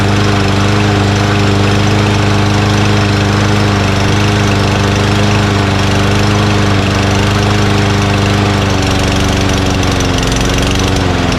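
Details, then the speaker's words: Mower, after failing to start over several pulls: it now runs at a steady speed with a firm, even beat. Owner suspects a sticking carburetor float or bowl debris and banged the carburetor to free it. "well henry you said such a good lawnmower the one that i like the most doesn't start on the first pull for the second or the third or the fourth son of a"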